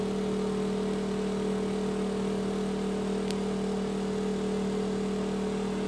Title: Noisy Exhaust Fan